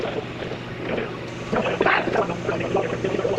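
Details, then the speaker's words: 1991 Range Rover Classic, unused for years, running again after new fuel pump and replacement starter; steady idle with even low exhaust beat and wind on the microphone; normal idle. "It's running again. Success. One fuel pump and one starter later."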